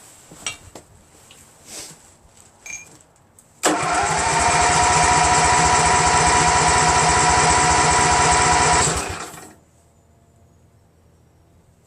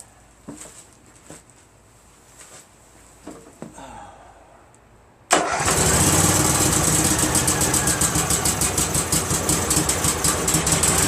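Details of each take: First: Craftsman GT6000 garden tractor repowered with Briggs & Stratton Vanguard 16HP horizontal-shaft engine, first start attempt; starter spins engine steadily about five seconds without catching; crank no start, fuel pump found busted, no fuel delivered. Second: Craftsman GT6000 tractor repowered with Briggs & Stratton Vanguard 16HP horizontal-shaft V-twin, after kill switch found on; clicks and cranking, then fires and settles into steady even idle; normal running.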